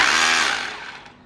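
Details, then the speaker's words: OSUKA OCRH852 cordless brushless rotary hammer in chisel mode, no rotation: harsh high buzzing hammer action with no drilling load, fading on trigger release; normal operation. "มีแต่เสียงไม่ไม่หมุนนะฮะประมาณนี้เนาะสำหรับ3โหมดที่โรตารี่มีมาให้นะฮะ"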